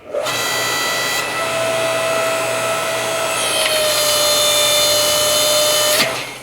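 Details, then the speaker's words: Yardworks 6.5-ton two-speed log splitter in fast ram speed, lower-power mode, on a knotty log: loud steady whine rises and holds strained, then stops after only cracking the log; motor stalls under load. "could hear the motor was straining. It cracked it a little bit, but it doesn't want to continue."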